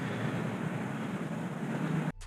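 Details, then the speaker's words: 2004 Chevrolet SSR, 5.3L LM4 V8, after intake manifold gasket and fuel injector replacement: rough, lumpy rumble just after start; three cylinders misfiring (P0300), two traced to swapped injectors, then swapped for brand-new injectors. "the engine started but there were three cylinders with misfires i was able to detect two of them with my scan tool"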